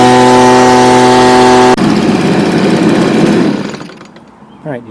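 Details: Stihl BG55 two-stroke blower, no-start fixed with a new carburetor replacing one with a torn diaphragm; gasket damaged. Steady high-pitched buzz at constant revs for nearly two seconds, then drops away; runs evenly, though the owner waits 24 hours to test the cold start.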